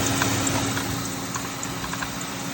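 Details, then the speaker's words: Mercury Grand Marquis at idle: a steady whir with scattered light ticks and knocks from the belt drive. The worn idler pulley does not spin well, and a loose, moving tensioner is causing the knocking; both are being replaced. "So if you're hearing this noise, most likely your idler pulley and your tensioner. If you look, you can see that tensioner moving around, which is causing that knocking noise."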